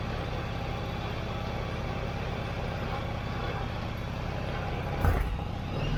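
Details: Yamaha XVS1100 V-Star 1100 after carburetor cleaning, running with airbox off: steady, even V-twin lope with no misses or knocks, smooth idle. Normal idle.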